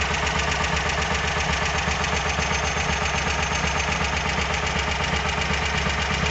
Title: VW Squareback engine knock.